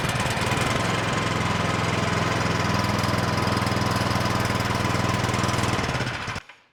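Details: Craftsman Select 26 snow blower (model 31AM6C2FB93, 675 engine), previously a no-start, after choke and three primes at mid throttle: small single-cylinder putters fast and evenly, no misses or surging, then shuts off cleanly: normal running.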